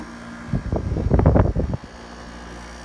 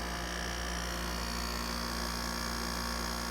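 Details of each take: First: 1989 Panasonic 5000 BTU window air conditioner running out of its case after a few minutes, frost melted off, good charge: steady low compressor hum with the constant rotary buzz, pressures quieted. Normal running. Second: 1989 Panasonic 5000 BTU window air conditioner running out of its case with a good charge: constant low fixed-pitch rotary compressor buzz that never goes away, cause not pinned down.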